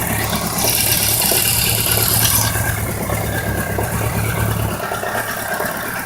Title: Bmw k 1200 rs, 1999. Knock and ticking noise